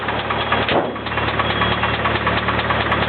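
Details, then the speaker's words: Rod knock on a Nissan KA24DE petrol engine at idle: steady hollow knock in time with rotation; earlier it got louder and knocked even faster. "it was crazy before when it got like louder and started knocking even faster"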